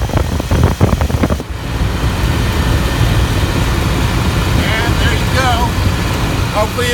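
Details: 1994 GMC K1500 4WD with TBI after rebuild and a spliced fuel line: a few cranking bursts, then catches and settles into a steady, even idle, no knocks or misses; nice even spray, no leaks.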